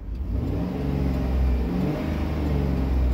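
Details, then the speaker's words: 2010 Chevy Tahoe engine revving with radio on after replacing the rear audio control unit: only smooth engine rumble, buzzing/whining through the speakers is gone. "Boston sound is gone we fix it guys"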